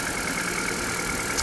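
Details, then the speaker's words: Car just jump-started with Milwaukee M18 JS2000 jump starter, E2 error code shown: short stretch of even steady idle with no misses or knocks; engine running smoothly. "Anyway, the car is running purring"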